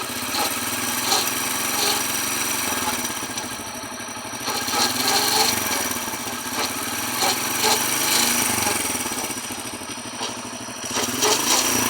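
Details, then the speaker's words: Hero Honda CD Deluxe single-cylinder motorcycle revved in first then second gear: rough, gritty gearbox growl rising and falling with engine speed; new chain and sprocket did not cure it, mechanic says gearbox must be opened. "ആ ഉരിക്കുന്ന sound കേൾക്കാൻ പറ്റുന്നുണ്ട്"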